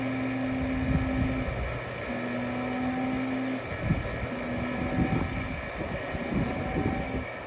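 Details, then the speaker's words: Brand-new Robinair R1234YF A/C machine: steady, even motor drone with a low hum that dips slightly under load. The vacuum pump is pulling the high side and the low side is dropping normally. "But I am pulling the vacuum on the high side now, and my low side is starting to come down."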